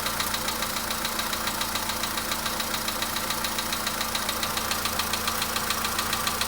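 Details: VW Polo Sedan engine knock at idle: sharp, regular tapping about three or four a second over a steady idle; engine knock, cause not pinned down.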